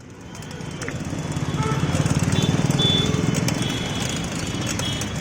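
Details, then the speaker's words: Keysto bicycle with Shimano Tourney TZ rear derailleur gear system: rhythmic rough chattering from the drivetrain, three or four pulses a second following pedal speed; gears not working properly, possibly poor tuning, faulty gear cables or lack of cable lubrication, described as a manufacturing defect. "जैसे कि आपने इस cycle में gearing की आवाज़ सुनी, ये आवाज़ गियरिंग के सही से वर्क ना करने की वजह से आती है।"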